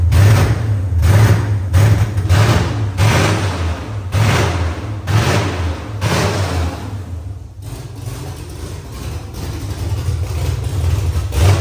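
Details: Nissan S14 LS V8 swap just started for the first time; loud open V8 snaps up and settles in quick blips about once a second, picking up cleanly each time, healthy.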